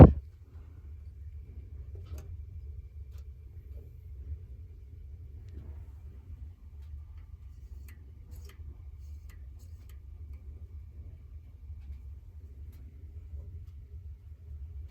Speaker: Oh, a slight hum from the speaker.